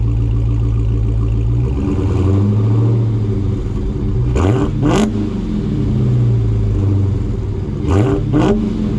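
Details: Dodge Hellcat V8 with the stock active exhaust valves deleted and held fully open by a dummy plug: deep, loud idle with two sharp throttle blips near four and eight seconds, climbing and falling cleanly; healthy.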